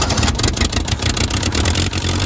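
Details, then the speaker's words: 1972 Toyota Celica 18RC, first run in 26 years after rebuilding the original carburetor, cold day around 30–41°F, no choke: high idle, loud and raspy with a puffing edge from an exhaust leak on one side. "it's a little bit loud because there's an exhaust leak over there on that side"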